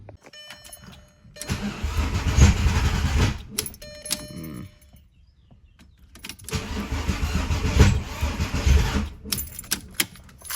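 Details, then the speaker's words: VW VR6 built engine cranking in two long bursts with an uneven, lumpy rhythm and no catch after a faulty part was swapped; won't start, owner suspects timing is off. "That doesn't sound good. I don't know. Hate the way that sounded."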